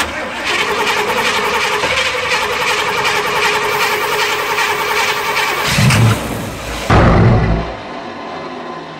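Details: 1994 Chevy 3500 HD big-block tow truck, sat for years in an auction yard, fresh battery, starting fluid sprayed: long steady starter whir with even cranking beat, then brief heavy bursts that die away; cranks but won't run, fuel supply being checked.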